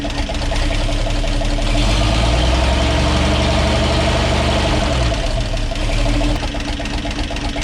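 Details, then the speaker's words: 1942 Blitz truck with new carburetor and cleaned air filter: steady even idle with a brief rev that settles back smoothly; normal clean, regular idle. "So she's idling a lot better now. Oh, I cleaned up the old air filter and put that back on. Listen to this. Music to the ears."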